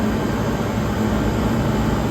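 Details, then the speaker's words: 1978 Comfort-Aire Quietmaster Heat Controller 29,000 BTU air conditioner running on high, not yet cleaned: steady, even low whoosh with a faint constant hum and no ticks or rubbing. The condenser fan runs smooth and it blows ice cold. "It blows absolute ice cold. The condenser fan is running nice and smooth."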